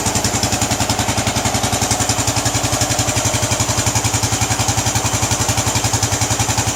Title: Bullet 500 iron cast thumping sound